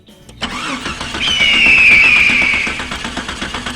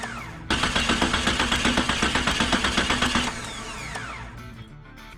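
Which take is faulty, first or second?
first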